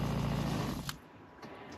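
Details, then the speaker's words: RV water pump after installing a controller module: brief low, steady hum that stops cleanly with no rattle or chatter; flow now smooth with no pulsating, module takes a second to kick in. "It's It's like better than being hooked up to the city water. Nice and streamy. No more pulsating."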